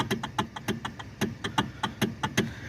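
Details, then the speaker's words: Kia with electric power steering, steering wheel shaking at about 70 mph: rapid even knocking, seven or eight raps a second, from the steering column; failed rubber coupler bushing between assist motor and column. "uh these cars have electronic power steering and there's this rubber bushing on it and uh between the motor and the steering column and uh it goes bad it breaks and uh this is what you end up with"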